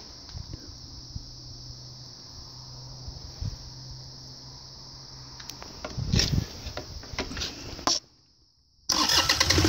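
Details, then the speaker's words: Deutz 2009L03 3-cylinder direct-injected diesel on a test stand, cold start at about 52°F engine temperature with outside near freezing; glow plugs briefly energized, thin hiss, short crank, then catches and clatters up to a firm run. Normal cold start. "And I'll give the glow plugs just a little bit of electricity, and then give it a crank."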